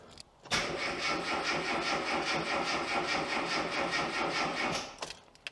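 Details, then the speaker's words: Classic Mini MPI after cylinder head repair for a leak, cranked with the fuel pump fuse removed: steady, even starter churn for about 4.5 seconds with no firing; engine turns over normally. "okay well it appears that it turns over normally"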